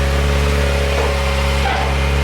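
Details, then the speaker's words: Kawasaki Ninja ZX-4RR, warm, on stock OEM exhaust before titanium swap: smooth, low, very quiet idle with little pops, restricted-sounding, no knocks or misses; healthy. "Super quiet right now. Listen to that. It has a little pops. That's pretty sick. It feels really restricted and it's quiet."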